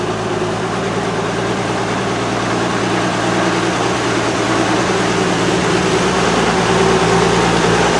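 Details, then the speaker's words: Oliver 88 Wheatland tractor, engine possibly Wisconsin per tractor data, newly on the lot with some issues; steady, even, smooth engine note with no knocks or misses: normal engine running. "but god that engine just sounds so smooth and it runs so nice but i really like the cackle that a case engine gives off but man that's that's a beautiful sounding motor in these things"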